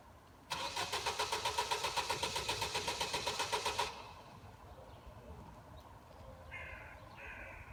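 Starter turns the engine over at a steady quick beat for about three seconds, no firing catches, then it stops: cranks but won't start.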